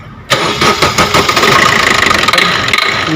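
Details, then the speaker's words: Maruti Suzuki Swift Dzire ZDI diesel: sharp rapid knocking for about 3 seconds at start, then stops; caused by a swollen, torn O-ring fragment stuck in the fuel temperature sensor coupler on the fuel filter, preventing proper connection. "ये देख सकते हैं बस एक दो बार आवाज़ आती है फिर बंद हो जाती है। चल, ये देख सकते हो दोस्तों अजीबोगरीब साउंड खाली स्टार्टिंग"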